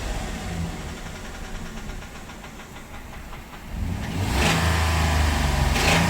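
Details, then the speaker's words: Ram 1500 V8 that ran out of oil, idling: light steady knock about four a second from low in the engine, heavier when revved; first suspected piston slap, confirmed rod knock; transmission fluid won't fix it. "Yeah. Unfortunately, that's that's a rod lock. That's not piston slap. I was hopeful."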